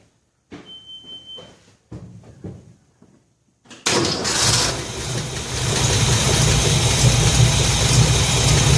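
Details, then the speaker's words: 1966 Ford F100 after Pertronix electronic ignition install and reconnecting forgotten coil wire, off a couple of hours, no choke: catches at once, steady even idle with no miss, no longer finicky; normal start and idle. "this thing's been off for a couple of hours i think fired up no choke um no longer was finicky uh yeah this is that's better that's better that's way better"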